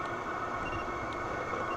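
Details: SILVEL 8kW 12V diesel air heater, first use, over five minutes running, outlet tube around 178–200°: steady low roar with faint constant fan whine, no pulsing or ticking; burning normally.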